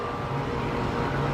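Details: AC condenser running after ICM870 soft start installation, quieter; steady even compressor and fan drone with faint constant hum, no rattles or hard-start thumps, normal running.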